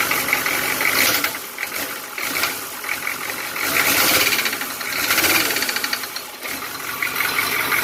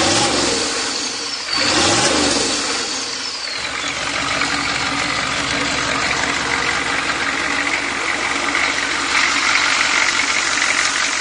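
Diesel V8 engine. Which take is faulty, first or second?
first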